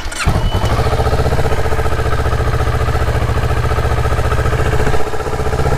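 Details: Motorcycle with a dead battery, jump-started: a short crank catches at once and settles into a steady, even idle pulse; the bike starts and runs normally.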